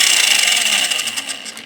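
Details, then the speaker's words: RC tank V3 gearbox, new, not yet broken in or lapped, on the bench; high-pitched whine with fluctuation at start, fading as the motor coasts down, gears not meshing well; owner plans to lap them. "Anyway, that sound I found disappears after the first couple of minutes or a couple seconds. But that's what it sounds like. You can hear that whine."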